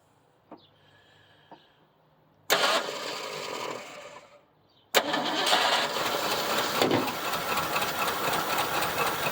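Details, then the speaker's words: 1975 Ford Granada revived after years of neglect, first starts from the solenoid, smoky: sharp bang as it catches, short run fading out, then another loud pop into rough running; backfiring on startup. "I guess it can backfire. Totally normal. Totally normal."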